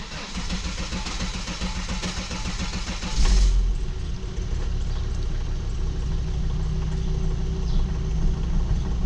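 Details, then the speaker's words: Volvo XC70 2.4 diesel D5 first start after high-pressure fuel pump replacement; cranks briefly, fires, flares, then settles to a smooth steady idle with even clatter, no misfire, while air works out. "Give it a few seconds to work out any air that might be in it. So far it's running smooth."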